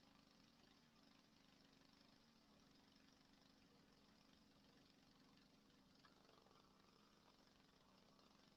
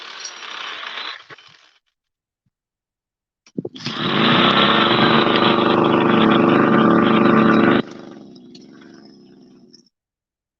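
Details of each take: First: Go-ped small two-stroke engine during a repair, set on bricks: a faint, even buzz ticking over steadily with no misses or surging, running properly; the idle may still need adjusting. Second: Go-Ped two-stroke scooter after an eBay carburetor and fuel-line kit was fitted: buzzes steadily a few seconds, then drops away and dies when trying to ride it. Stalls; idle may need more adjustment, cause unconfirmed.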